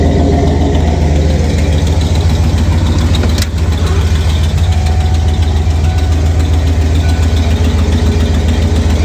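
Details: 1989 Ford F-150 at idle: steady low idle with a rhythmic puffing tick on each firing pulse, about three or four a second, from an exhaust leak.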